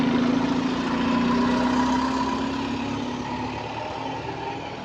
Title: Weird Noise | SLN 36624 On Bus Route 225 (Spot + 7)